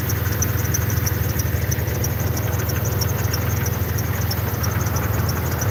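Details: Jeep at idle, squeak heard at every start last winter; quick high-pitched chirps about three per second from up front; owner suspects power steering fluid, not confirmed.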